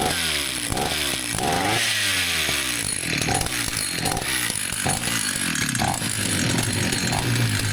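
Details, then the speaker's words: Vintage Husqvarna 162 chainsaw after repair: steady running with crisp revs, no hesitation or misfire, oiler pumping oil, started straight up; healthy and well tuned. "That sounds good. It's pumping oil out. So, all seems to be working well now."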